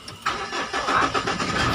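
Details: 2011 Mahindra Scorpio EX after key programming with Launch scanner fixed a cranking-but-no-start with blinking engine light: brief crank, then the engine catches cleanly and settles into a steady, even run with no stumble.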